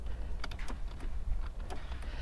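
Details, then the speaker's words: Flood-damaged car with 44,000 miles and a touch screen, starter not engaging and engine possibly seized: a few sharp, separate clicks over a faint low background as the power door lock actuators cycle, so the locks work. "I can hear the locks clicking, so the locks work."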